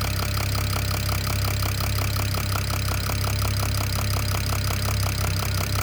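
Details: BMW E92 335i N54 at idle: sharp, regular knock about three times a second over a steady idle. The owner thinks it comes from the top end but is unsure; the cause is undiagnosed.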